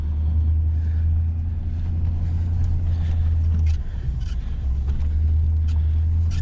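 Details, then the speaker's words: GM LS V8 truck after installing exhaust manifold leak repair brackets to cure an exhaust tick, and after refitting the missed number seven plug wire: a steady, deep, even idle with no ticking or puffing. Normal idle. "oh it sounds so good well I'll tell you what guys that is a cheap easy fix"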